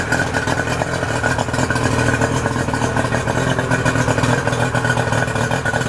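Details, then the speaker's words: 2008 Yamaha 90 hp two-stroke outboard after new spark plugs, fresh fuel, cleaned fuel filter: steady, even burble with no misses, pops or knocks, water stream popping well. Normal idle. "so we're going to fire her up see how she [Music] sounds sounds pretty good water's popping good"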